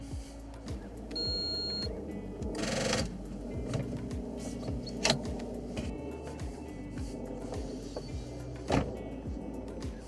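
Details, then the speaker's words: Diesel 2.4L (Alfa 159) with discharged battery on a TOPDON JS2000 booster, about 12.1 V, before pressing boost: sluggish cranking about two and a half compressions a second, no start. "Donc, ça n'a pas démarré. Je pense qu'il faut appuyer sur le petit bouton boost ici."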